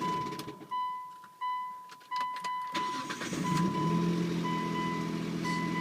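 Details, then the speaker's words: 2003 Mitsubishi Eclipse GTS cold start: cranks, catches into fast cold idle with a faint metallic rattle from inside the engine, softer than the first start; owner suspects the timing belt/cover area, and the rattle reportedly goes away once warm. "Sounds like it's coming from inside. Sounds terrible, like a timing cover. I'm reading online, people just say that's what the Eclipse does when it's cold. And it goes away after it warms up."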